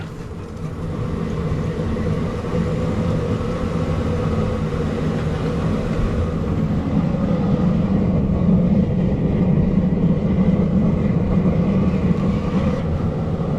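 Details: Waste-oil water heater burner just started with ~50 L of fluid at 0°C, oil pump on and fan raised to half speed: steady low roar with an even fan rush rising slightly, clean and stable burn with no puffing or sputter.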